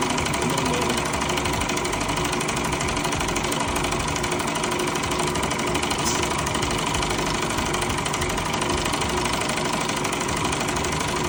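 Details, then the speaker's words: Car wash high-pressure pump tested on high-pressure soap after a rebuild: steady fairly quick knock about three per second over the pump drone; valve parts reassembled in the wrong order and jammed. "Okay, so I took the pump apart, and obviously I got the order wrong here, because these are jammed on now rather than loose."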